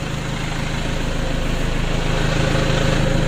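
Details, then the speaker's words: Toyota Innova 2KD diesel after engine rebuild, warming at idle: coarse rhythmic roughness about three beats a second from the transmission area; clutch disc fitting by workers suspected, not confirmed. "lumayan kasar yang pertama di transmisinya teman-teman"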